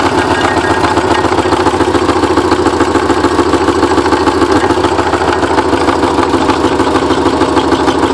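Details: Porsche 944 first start after over ten years, with all exhaust valves bent when the timing belt tensioner pulley fell off in 2005: smoking, lumpy, uneven idle with irregular stumbles and a ragged beat; misfiring from the bent valves.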